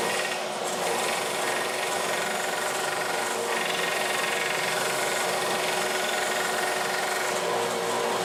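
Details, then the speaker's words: Small belt sander connected to a homemade shop-vac dust collection system: steady whir with loud, fast, slightly uneven tapping about three times a second, caused by a cheap, dull sanding belt. "but when you hear it tapping really loud, I get these cheap sanding strips. This is from Harbor Freight."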